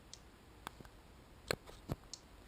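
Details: Relay driven by an Arduino Mega 2560 clone, programmed to switch HIGH then LOW with 2000 ms delays: sharp single clicks about two seconds apart in a quiet room; normal relay switching.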